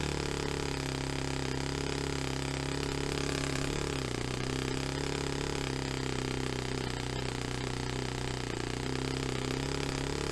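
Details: Saito FA-45 Special on first run after a full rebuild with new bearings, on a test stand, 10% nitro, carb untuned. A buzzy, steady note sags and recovers a couple of times; rough untuned running, slow throttle response.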